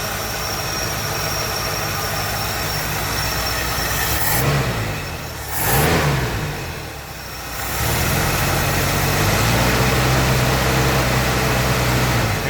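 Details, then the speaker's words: Ford Galaxie V8 after reassembly: idles, then revs with a brief surge and jump as it climbs before settling; ignition timing a little too advanced, distributor to be moved back. "you hear the motor jump a little bit when I run the motor up to speed here goes maybe a little bit I don't know if you heard that but Ford's will do that when the timing is a little bit High so I'm going to move the distributor"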